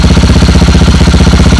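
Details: Motorcycle without kickstarter, started with a small jump starter despite a bad battery, idling: even steady thumping about fifteen beats a second, no misses or knocks; normal idle.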